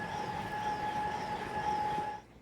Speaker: probably coming from your cabin air filter or intake duct, It may mean that your cabin air filter is clogged with dirt, hindering sufficient air flow.